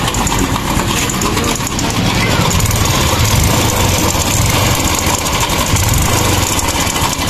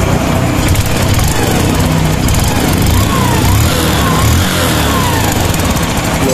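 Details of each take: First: Honda Wave 110 / XRM 110 motorcycle idling with a loud, fast metallic clatter; slack cam chain from a loose tensioner and a broken chain guide, both to be replaced. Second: Honda Wave 110/XRM motorcycle after replacing cam chain tensioner, spring and chain guide: quiet even idle, no rattle or ticking.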